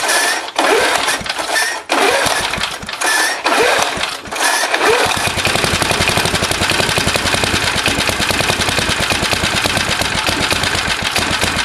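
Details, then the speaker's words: Old Briggs & Stratton lawnmower after valve and spring cleaning, leaking gas tank: a few cut-off pulls and bursts, then rapid ragged putter; rough running, owner suspects the carburetor needs work. "But I know it's got to be the card that's bit a bit screwed."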